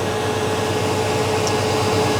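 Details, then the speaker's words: 1989 Chevy K1500 with mechanical fan, cold start after sitting about 16 hours: loud, steady rush of air and constant hum at idle; fan clutch tight and pulling heavy air while cold, which it shouldn't, fan clutch suspected bad. "there may be a slight Roar from the fan as we Crank It Up just because the fan is a little bit tight [Music] all right so the fan is pulling uh quite a quite a bit of air across the radiator right now with the engine being cold that's not really what you want uh unless your air conditioning were running"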